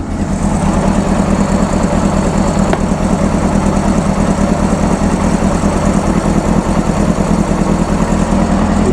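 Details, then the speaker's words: 1995 Honda CBR600F started after sitting a very long time, WD40 in it and a fuel pump that wasn't pumping: it catches and settles into a smooth, steady warm-up idle hum with no ticks, knocks or misfires. "come on it's running [Applause] oh the motor sounds good just let it warm up a little"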